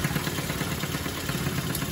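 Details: Sanex 50cc Yamaha-based two-stroke after rebuild with new crankshaft bearings, crank seals and generator-part con rod; engine described as smooth. Quick, even firing pulses at steady idle with no knocks or misses; healthy normal idle.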